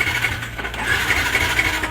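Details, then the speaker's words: Yamaha R15 V2 after cleaning the throttle body, tank and fuel filter and fitting a new spark plug and ignition coil: uneven, stumbling idle with irregular dropouts and rattle, then it stalls; owner blames fuel starvation from the fuel pump and will replace it. "Ayan yung palya Ayan oh di ba kinakapos ng gas sa fuel pump ayan so Papalitan natin yan"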